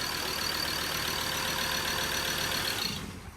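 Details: Recently bought Ford Ranger diesel that nearly caught fire, with leaking injectors, a missing injector washer and loose bolts: loud, steady high hiss over idle that dies away at shutoff; exhaust gas blowing from a badly blocked EGR valve and pipe.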